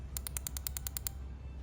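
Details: ProMod drag car under rebuild, ignition spark check down the cylinders, with four and three confirmed working so far. Crisp, even snapping ticks about ten per second over a low hum, then they stop; normal ignition spark.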